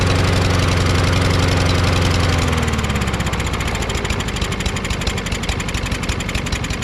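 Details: Craftsman push mower, Briggs & Stratton 550EX engine, started first pull with homemade choke flap stuck: uneven, lumpy beat sagging in pitch; rough running, though better than before; carburetor suspected.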